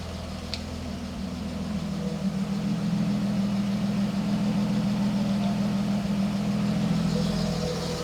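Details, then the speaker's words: British Leyland Princess 2200 automatic after revival, carbs possibly unbalanced, some smoke from added oil: steady, even low hum at idle with no knocks, misses or surging; running really smoothly. "and it's really smooth really really smooth"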